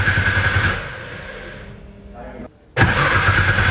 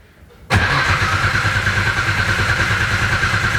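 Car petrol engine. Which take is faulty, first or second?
second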